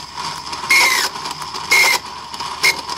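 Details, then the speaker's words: Bench test of a 1995 Mercedes S320 non-ASR throttle body, part 0001415725: short high-pitched screeches about once a second over a faint buzz, caused by deteriorating wiring and a failed internal clutch coil, before repair. "if the clutch coil is dead this is what it's doing so let me show you why i think the coil is bad"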